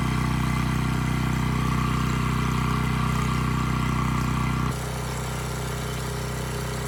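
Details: Abandoned Powermate generator, no AVR, running without load: steady even hum with firm low drone, settling slightly quieter midway; voltage brought from about 135 V to 130 V, normal idle.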